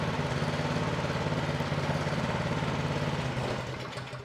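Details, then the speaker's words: Troy Bilt 2410 snow thrower after no-start repair. Choke taken off, the single-cylinder engine drops to a steady, even idle of quick regular pulses, then shuts off. Runs cleanly; contaminated oil is still to be changed. "Just took the choke off. They go down on idle."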